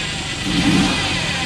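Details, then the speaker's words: Engine cleaned through fuel system, intake valves and injectors, idling at about 6 inHg vacuum: short throttle blip swells slightly and bogs instead of climbing cleanly; hesitates on the rev, should be smooth, before Seafoam treatment; cause not yet known. "You hear how it hesitates? It should be smooth."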